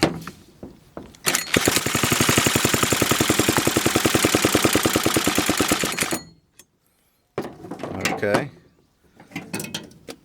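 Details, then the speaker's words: Homelite XL-101 chainsaw, choke and throttle open, gas squirted into carburetor, pulled over: fast, even mechanical chatter for about five seconds then stops without firing; cranks but won't start. "is on nothing happened though so let's try it again felt like it popped there a little bit"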